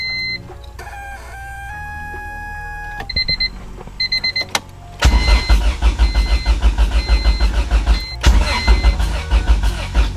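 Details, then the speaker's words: Honda Civic EK sedan with B20 swap, cranking after grounds were fixed: starter cranks steadily about two turns a second but the engine never catches, as the tank is bone dry with no fuel. "it cranks but the thing is this car is bone dry and has no gas so i need to get gas and hopefully it can run"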